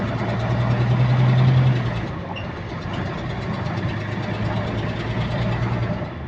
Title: Repetitive Clicking Noise In Sync With Engine Speed | GAL WVL358 On Bus Route 486 (2)